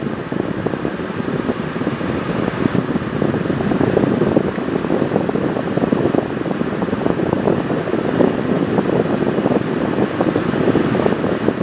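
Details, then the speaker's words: Honda truck after replacing a broken A/C relay that had stopped the compressor engaging (blowing hot, 96° outside): compressor now kicks on, steady blower rush over an even engine hum, vent dropping to about 55°; normal A/C operation. "AC compressor has kicked on before it was not kicking"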